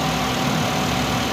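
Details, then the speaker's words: Suzuki Alto, about a 2020 model, in for no-start and dead meter lights (scanner shows no DTCs), idling with AC on: smooth even idle, AC fan working, compressor hum, no knocks or misses; normal. "तो इसका जो fan है ना वो भी अभी work कर रहा है"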